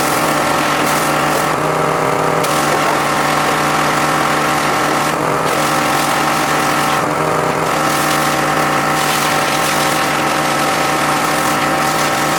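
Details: John Deere X540 mower that came in crank-no-start with no spark, idle about a year; both coils found dead, failed module swapped. Steady two-cylinder drone holding constant speed, no sputter or dropouts: normal running after repair.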